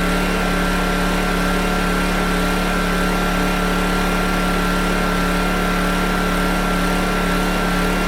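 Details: PowerTrain 900 W generator after new fuel lines and carb work, carrying an electrical load thought to be about 400–500 W; engine note drops when loaded, smooth constant-pitch drone, no misses or knocks; checking near 60 Hz: normal running under load.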